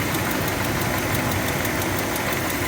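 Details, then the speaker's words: Mopar engine at idle: a chugging, quick puffing tick several times a second; minor exhaust leak that has been present since the owner got it. "there's a chugging noise tells me there's an exhaust leap it's pretty minor and it's been going on ever since we've had it"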